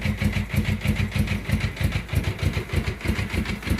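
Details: Suzuki GS500 after fixing a loose bolt behind a long-standing engine noise: even steady pulsing idle about three beats a second, no rattle or knock; healthy.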